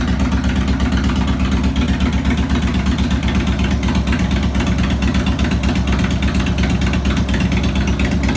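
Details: 2002 Harley Road King Classic on a bike table, second start after replacing cam chain tensioners, lifters, O-rings, gaskets, checking leaks: steady loping V-twin idle with even low thumps, no ticking or knocking; healthy.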